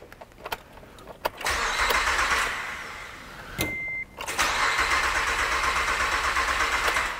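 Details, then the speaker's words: 2008 Acura TL J32 V6 that died on the highway after a broken timing belt, with new aftermarket crank sensor and charged battery: starter cranks, almost catches, never runs, no rpm reading. Crank sensor wiring damage suspected. Crank, no start. "it acted like it wanted to and then it stopped and it's still not it's not reading an rpm"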